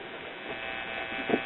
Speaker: I think the cartridge is dead which is no surprise